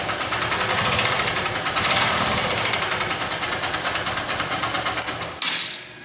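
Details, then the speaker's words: 150 cc single-cylinder motorcycle engine at light throttle with a hard, steady knock about three times a second, striking at top dead center and not at bottom dead center; connecting rod worn. "quando chega no ponto morto superior é hora da batida quando chega no ponto morto inferior não bate"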